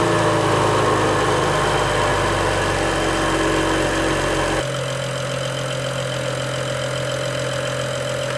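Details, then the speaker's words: BMW E-chassis 335i N55 engine started after valve cover gasket replacement, with the fuel rail empty so cranking runs long; it fires and settles into a steady, even idle with a faint regular tick, no misses: normal start and idle. "I'm gonna go ahead and start it up it's gonna take a second for it to start just because there's no fuel in the rail right now"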